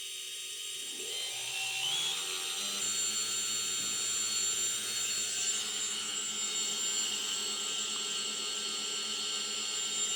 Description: Eachine tyro 109 Bad bearing noise